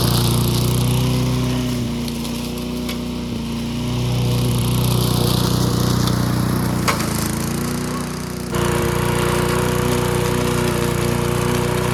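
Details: Old junkyard-find Bob-cat push mower with an aluminium deck, primed and started outdoors: a steady, even single-cylinder buzz with a brief speed dip and recovery, running healthy and smooth. Normal running.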